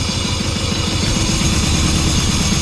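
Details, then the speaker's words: John Deere 650 4x4 diesel tractor just cranked and started right up: even, lumpy low chug with steady beat, no knocks or rattles; healthy small diesel idling normally. "So there we go. Don't know how much you can hear me. It started right up. It's just such a great tractor."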